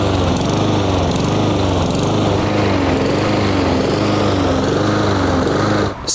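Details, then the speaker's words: Honda-engined lawn mower surging (hunting), revs rising and falling about once a second, from lack of fuel due to a carburetor issue. "just heard that annoying sound of the engine revving up and down what's causing that is a lack of fuel to the engine so it's a carburetor issue"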